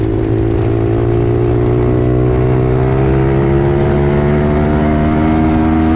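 Steady, strong drone holding pitch under load with no knock, rattle or misfire; engine sounds healthy and pulling.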